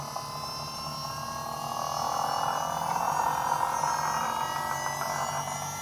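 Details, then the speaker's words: Holden Astra electric pump in an AU Falcon skid car, wheels resting on rotors, steering turned under load: loud whine swells and rises in pitch then eases; overworked pump, and a hose then popped off. "Let's see if it turns on the floor now very easily. sounds like it's gonna blow up, man, straight up."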